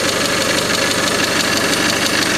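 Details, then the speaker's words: Mazda 626 FS engine, first startup after reinstalling IAC and throttle body: rapid light ticking knock over rough idle, at first thought possibly a belt; knocking at idle, later found 50% leakdown in cylinder 3 from bad exhaust valve. "not a whole bunch of knocking noise like it was I can hear a knock down there"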